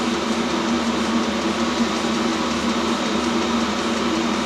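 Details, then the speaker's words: Complete-unit Chinese diesel heater from Banggood, first firing while still bleeding fuel, now blowing warm air measured 70°C by laser. Constant fan drone with a steady low hum, no pulsing, rattles or surging. Running normally at full output. "Putting the air out there, it's up to 70 degrees C. Nice and warm, spot on. Like it."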